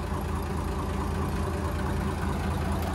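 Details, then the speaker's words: Hyundai 6D16 diesel, after head retorque (180°), idling low and steady with an even beat and no knocking. Normal idle. "Ok nha mọi người Ok rồi tính ra cái máy này Hên quá không có không có bị lệch tăng"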